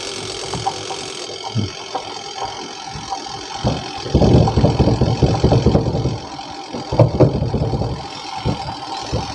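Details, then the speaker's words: Panasonic twin-tub washing machine spin-dryer tub before repair: runs slow with an uneven rumble and bursts of loose rattling that come and go, cannot dry clothes; weak motor capacitor. "Lihat, benda ini bergemuruh, tidak stabil, dan putarannya lambat. Kadang berhasil, kadang tidak."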